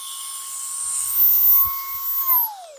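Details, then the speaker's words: GOOLOO F3 electric air duster (150000 RPM, 3-speed, 5000mAh USB-C rechargeable) on medium, blowing pins: steady high whine holding pitch, then winding down smoothly as it switches off; normal running. "But usually on low and medium, it'll stay on there for quite a while. There's medium. Even on medium, it's blowing pins over there."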